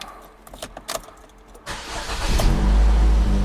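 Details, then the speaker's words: 2015 GMC Terrain 2.4L four-cylinder started during a transmission fluid change: cranks and catches, then a loud, deep, blatty idle from a worn muffler due for replacement; old spark plugs may cause occasional misses. "listen to that muffler that's not that I'm working on replacing"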